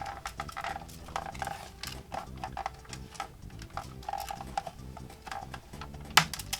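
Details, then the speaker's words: Badly damaged, seemingly stepped-on Nintendo Wii with broken plastic and protruding screws, shaken by hand: irregular light plastic and metal rattles; owner suspects loose screws and broken plastic pieces inside the case. "I don't know if you hear that, but there's some things jiggling around in there. maybe some of the screws and pieces of plastic that broke off of here,"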